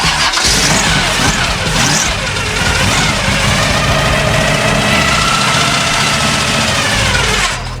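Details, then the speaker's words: 1974 Chevy Nova that sat for years, long rough cranking: it stumbles and half-catches with uneven firing on super old gas, and the fuel filter is to be swapped. No engine knock is heard; the loud gear-on-gear timing chain is noted. "gas is super old. We're gonna swap this fuel filter out, but at least you can hear now that the motor's not knocking."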